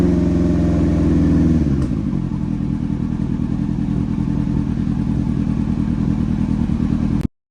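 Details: Yamaha R1 off the road about 5 years, carbs leaking fuel and needing rebuild, suspected ignition issue; started on plug-clean cranking with starting spray, it catches and runs raggedly with an uneven stumbling misfire for several seconds, then dies.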